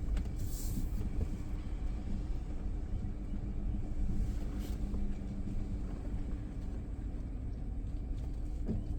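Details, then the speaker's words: Neglected car being revived, brakes rechecked while rolling after an earlier brake-pad scraping: only even road rumble and tyre noise, no grinding or scraping from the wheels; the scraping is gone and the brakes sound clean. "Okay, the scraping sound's gone away on the brake pads. That's good. That's what I wanted."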